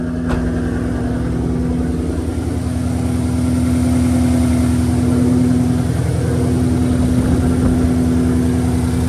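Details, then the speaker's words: 2019 Ford Coyote V8, 10-speed, after exhaust camshaft and oil pump gear replacement for knock from back of passenger head; first start after priming, oil pressure good: smooth, even idle, no ticking or knocking, previous knock gone. "I ran the motor over and checked the oil level. It was good, so I'm not hearing that consistent knock I was hearing before. That's good."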